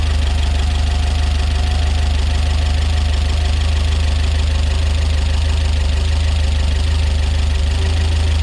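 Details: Peugeot 205 GTi Mi16 rebuilt engine, just fired up for the first time, cold: steady idle with a fast, fairly even light ticking three or four times a second; loud top-end tappet noise, owner hopes it clears after a while.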